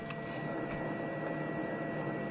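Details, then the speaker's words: Cincinnati milling machine on a VFD drive, cold, spindle run at the lowest setting (15 Hz, slowest RPM): steady even low hum with a faint constant whine, no knocks, running slowly and healthily. "You can hear that it's quite slow. And then if I flip it over, that would be 30."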